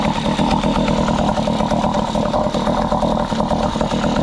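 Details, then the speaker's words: Small two-stroke outboard with gravity-fed carburetor and no primer bulb, started on choke then switched to open, runs smoothly: loud steady buzzing at fast idle, even and unbroken until shutoff. "so we got this running good now I'm going to swap this power head and put it onto here"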